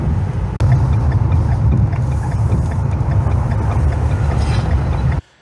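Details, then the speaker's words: 2016 Ford F-250 Super Duty after all fluids were changed (engine oil, automatic transmission, transfer case, differentials, power steering, brakes): deep, even engine rumble with no knocks, ticks or whine; it sounds smoother than ever. "I was gonna say, to me it's noticeable how the engine sounds. It sounds smoother for sure."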